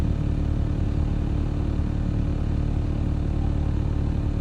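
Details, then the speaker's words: Nissan VQ35DE six-cylinder at uneven idle with a regular stumble two to three times a second; after one repair attempt it still misfires, though less, and the scanner again reports a cylinder three misfire. "Yes. Still misfire detected on cylinder three."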